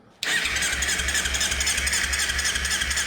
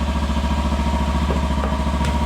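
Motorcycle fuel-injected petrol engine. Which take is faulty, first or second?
first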